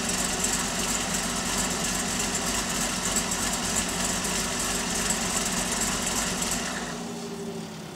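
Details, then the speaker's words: Pontiac G8 V8 with TSP 225/230 114LSA .618-lift cam, DOD delete, TVS1900 Magnacharger, stock exhaust, cold at 650 rpm idle with fans off: low choppy lope near three pulses a second under steady blower whine. Healthy cammed idle. "I got the idle down to 650 now, and it's definitely more noticeable."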